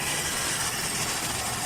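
Steady, even idle with no misses, surges or knocks under a fairly hissy background; the engine sounds healthy and settled.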